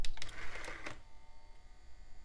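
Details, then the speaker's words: Optical drive in an old beige PC, opened, powered to close tray: about a second of quick clicking and whirring then quiet; motor lacks torque to lift magnetic clamp mechanism, wobbly belt suspected bad. "Yeah, it's like it doesn't even have enough torque to lift the mechanism."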